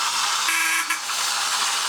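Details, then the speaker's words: Repaired 1950s tin Robot Bulldozer toy on 2 D-cell batteries, switched on: a short, clear mid-pitch horn beep over a steady, hissy whir from the small motor turning the bump-and-go drive wheels; running normally. "When you turn it on, the bump and go drive wheels are turning."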